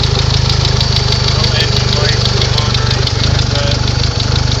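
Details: 1992 DSM (Mitsubishi) with about 240,000 km: uneven ticking knock of roughly three per second over a steady low rumble at idle; abnormal engine noise whose cause is not pinned down.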